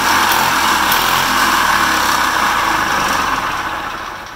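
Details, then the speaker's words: Two-stroke engine with oil injection, mixed gas in tank, first run after new head and base gasket: steady buzzy note holds evenly without stumbles or rattles, then winds down smoothly at shutdown, normal running. "But let's fire it up so you guys can hear this thing run."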